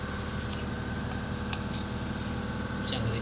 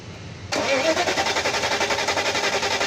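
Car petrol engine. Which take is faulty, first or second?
second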